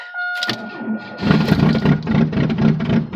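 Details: Chevy Cavalier at 0°F, 6 a.m., car frozen, six-year-old Interstate battery with poor cranking amps: slow labored cranking, then catches and stumbles with uneven lumpy beat; hard freezing start, cause not confirmed.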